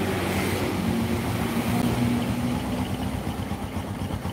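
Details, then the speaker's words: Honda Supra motorcycle that lacks power and tops out at 100 km/h, at idle: a low, rough rumble with an uneven pulse under the idle; diagnosed as a rough crankshaft bearing, possibly from persistently harsh gear shifting. "posisi stasioner terdengar suara stroke stroke di telinga saya nggak tahu di layar tonton kalian inilah kruk asnya bermasalah jadi lahernya kasar"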